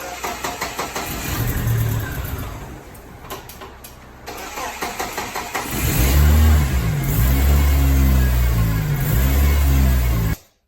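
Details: BMW 318 E36 (M43 B18) first start after head gasket replacement: several seconds of rhythmic cranking, brief stumble, then catches and settles into smooth even idle; normal start and idle.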